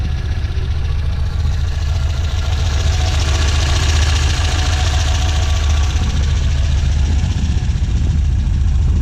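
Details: 1967 Volvo 1800S four-cylinder fired up for a walk-around, expected to idle around 1,100 rpm; smooth, even burble at steady speed with no knocks or misses; healthy normal idle.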